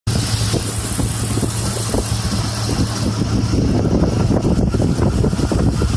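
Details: Jeep XJ 4.0 at warm idle, ticking heard after warm-up: a fast, somewhat uneven tick near four a second over the engine hum; owner thinks it's the valves, cause unconfirmed.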